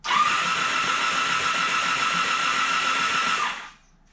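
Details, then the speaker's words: 1987 Honda Super Magna that sat about 10 years in a field, with a new battery, plugs out and lubricant sprayed in the cylinders: an even, steady starter whirr with no stutter. It turns over freely and is not seized. "So, ring turns over fine. Didn't sound like it had any kind of stutter in it, like there's any rust rings it was trying to fight through."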